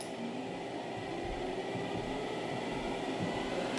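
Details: Xerox Alto cartridge disk drive after a head crash, platter hub drilled and reattached with screws: smooth, steady hum with one even tone, no scraping or wobble; disk spins flat, centered and balanced.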